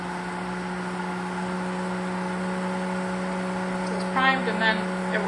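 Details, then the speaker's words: Pentair IntelliFlo VF pool pump running a 30-minute feature at 30 gallons per minute: quiet steady motor hum with constant pitch, no grinding or rattle; running normally. "running so now we're at 30 minutes of time and 30 gallons per minute"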